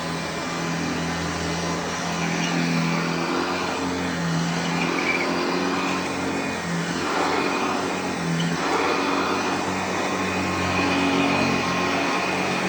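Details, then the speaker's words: Hoover Junior (UK) / Lark (US) model 115 upright vacuum running on a newly fitted belt: continuous whirring hum with steady low drone, no slapping or squeal; motor and belt run smoothly. "And that is my Hoover Junior or Hoover Lark, depending on where you're at."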